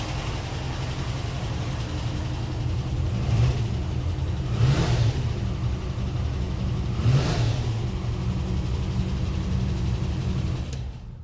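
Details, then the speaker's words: Land Rover Series 2A on unleaded after years on LPG, new fuel pump, carb still dripping; three quick throttle blips climb and fall cleanly, starts easily and revs higher and much nicer than on LPG: normal free revving. "it started actually quite easily and it revs higher much much nicer than what it did on LPG."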